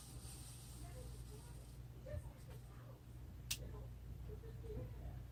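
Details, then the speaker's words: 53-inch Casablanca Spirit of Saturn ceiling fan running with a rough, uneven low drone and faint hiss from bad motor bearings, before the bearings were replaced. "Yeah, I heard that bearing noise before. It was that bad before."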